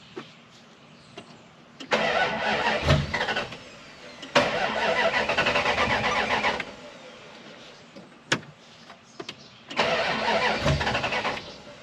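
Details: Dodge Ram 1500 project truck: three steady bursts of starter cranking, each a few seconds, engine never catches; crank-no-start while listening for the fuel pump and an unexplained beep; the fuel pump was previously worked on, so fuel delivery is suspected.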